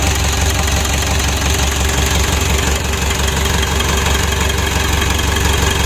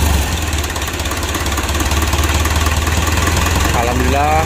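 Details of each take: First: Freshly rebuilt 2012 Mitsubishi Pajero Sport Dakar diesel, first start after reassembly, running an even, steady idle with smooth low clatter and no knocks or misses; sounds healthy. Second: 2012 Mitsubishi Pajero Sport Dakar diesel just after engine rebuild, first start: clattering lumpy idle then wavering tone as it falters and stalls; fuel not yet pressurized in rail and hoses.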